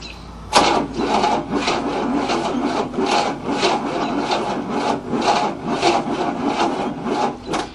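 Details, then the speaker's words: 1967 Cadillac not started in 30 years, old 1978 gas, timing suspected advanced: labored rasping starter strokes about two a second, uneven, never catches; cranking too slowly to start. "Oh yeah, plenty of spark. It's just not cranking fast enough to start."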